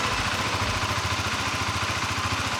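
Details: Honda CBR150R after an engine overhaul for a metallic knocking traced to a broken internal bearing that also made the clutch housing noisy: even, steady idle with a low thump and no knocking. Normal idle after repair.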